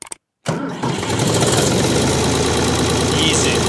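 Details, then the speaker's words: Vintage Ford 3000 diesel tractor, after wiring a new universal ignition switch, fuel on, PTO off, transmission in neutral: cranks and catches at once into a steady, even idle clatter; normal starting. "Let's crank it. Like a clock. Beautiful."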